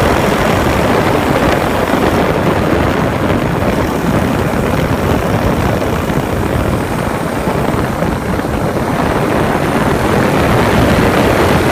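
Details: 2015 Honda Grom with newly installed Takegawa 181 S-stage big-bore kit and performance camshaft: loud rapid top-end clatter while running; valve lash tightened beyond factory spec made it quieter, heavier oil next to try.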